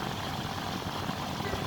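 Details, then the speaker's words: Home air conditioner outdoor unit, fan previously turning slowly with cracking noises, causing high amps and poor cooling, after repair: even, steady airy whoosh with no cracking or ticking, outdoor fan now spinning fast and normally. "Apa kipas Gan berjalan dengan laju tidak seperti awal dan jadi lagi bunyi pop semuanya awal tadi crack crack crack itu terus kami kipas sedang jalani melaju"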